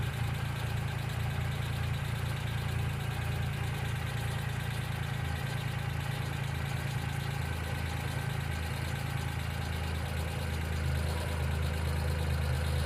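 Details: 1995 Geo Metro small engine idling with a light, quick tick about four per second riding on top, suspected noisy lifter (not confirmed); B-12 fuel injection cleaner added to the engine oil before an oil change.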